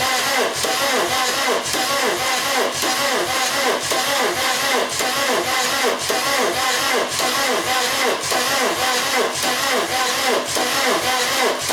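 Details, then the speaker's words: VW camper after TDI engine swap, first crank after fitting dual mass flywheel: starter drags engine over slowly, about one uneven beat a second, never catching; no oil pressure yet, oil pump needs priming; cranking too slow to fire, no start. "right one that is just cranking too slow at pompey's firing or something like that"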